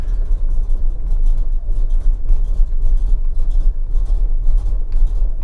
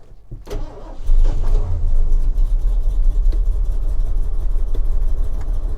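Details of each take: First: 1979 Ford F-150 Ranger Explorer with 460 V8, fresh oil and filter; deep loping idle with soft muffled pulses and almost no bark; very quiet exhaust, sounding like a stock 302. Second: 1979 Ford F-150 Ranger Explorer with 460 V8, fresh oil and filter; cranks about a second, then catches and settles into a deep steady V8 idle with no knocking; normal start and idle.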